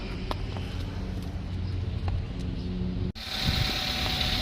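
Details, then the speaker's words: 2009 Toyota Avanza 1.3 G manual, 6,400 km, dealer-serviced, cold engine idling: even low idle, smooth steady hum, no knocks or rattles, then brief cut; sounds smooth and normal. "mesinnya dingin ya teman-teman, suaranya halus ya, seperti biasa ya, seperti di Avanza 2011 yang kemarin."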